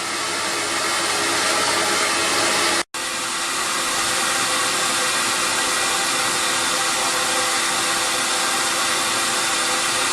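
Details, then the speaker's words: Record Power CamVac CGV286 dust extractor, one motor running, exhaust tube ducted outside, just below 70 dB; soft steady air rush with brief dropout, not harsh, no rattle; normal running. "now I'm extracting the air directly to outside and you can see if I'm quiet for a second we're just below the 70 level and now the noise that I'm hearing is a very soft kind of noise and it's not harsh than the years"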